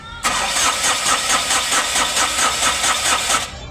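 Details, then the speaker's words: Ashok Leyland Dost diesel after crankshaft repair and engine refit, cranking after DTCs cleared and rail primed: steady starter cranking, about four or five even beats a second, never catches; no diesel arriving. "फिर भी diesel नहीं आ रहा"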